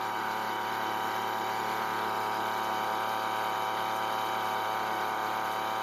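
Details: Weedeater two-stroke leaf blower, recently bought no-start: thin, steady buzzing drone near idle with no misses or surging; running evenly; normal idle.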